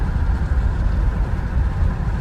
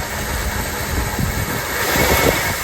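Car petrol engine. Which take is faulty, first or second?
second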